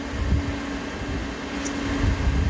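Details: 1987 Toyota Van, new electric radiator fan being bench-tested for blowing direction during hot soak fix: steady whirring hum at one constant pitch over low airy rumble, no scraping or ticking; normal electric fan operation.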